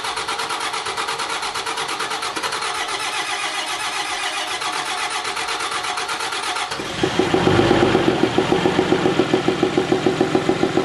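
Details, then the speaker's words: Freshly rebuilt 5.9 Cummins diesel in a Megacab truck, first start: starter cranks evenly for about seven seconds, then it fires and settles into a smooth, regular idle with no thud. Normal start and idle. "all right as you guys saw uh she's now running way better just had some rocker arms that were too loose"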